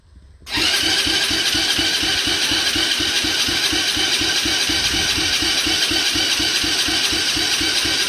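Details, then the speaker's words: Coolster 125cc ATV, under 50 hours, previously sunk and abandoned, choke on, in neutral: steady rapid cranking with even compression pulses but no start. Carb leaks fuel outside but not inside; carb to be replaced. "all right so we're definitely having carb issues you can see if I can zoom it in just a little bit you can see it's all wet we're getting gas on the outside of the car but not inside the carb"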